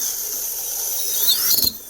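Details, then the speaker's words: Proboat Recoil 2 RC boat with its motor on a 4S battery, throttled up by hand. A thin whine climbs with speed, then breaks into stuttering bursts near top revs; the motor chatters at high rpm, said to exceed its RPM ability with this ESC. "At high RPM, it's gonna chatter. Okay, it does it with the 150. Okay, it's good up to there."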